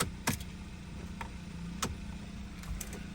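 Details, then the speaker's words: 2015 Mercedes CLA 250 4matic, sat four months, showing incorrect immobilizer key: starter clicks irregularly over a low hum but won't crank; dealer suggests battery, else ignition switch or steering column; not confirmed. "oh I can hear the story clicking so let's check something out"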